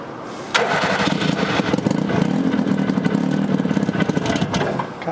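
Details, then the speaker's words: Abandoned Hustler 6x6 amphibious ATV, carburetor fed fuel from a car, may need primer: engine spins over with uneven chugging for several seconds, revved high but never catches; cranks, no start, cause unconfirmed. "so this was spinning over once we revved it up high enough you know but nothing"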